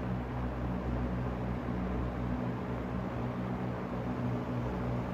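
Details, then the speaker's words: Vintage GEX/Frigid box fan being restored, running on high speed: smooth, even low hum with a soft rush of strongly focused air and no ticking or rattle; surprisingly quiet, healthy fan on high. "Like, do you hear how quiet that is? Like, let me put it on high. This is high. That's high speed. There's no way it's that quiet."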